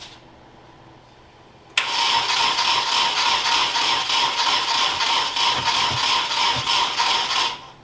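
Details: Nissan 240SX S13 KA24DE swap, cranking after rotating distributor for suspected timing error: steady cranking about 200 beats a minute for six seconds, engine never catches. Cause suspected, not confirmed.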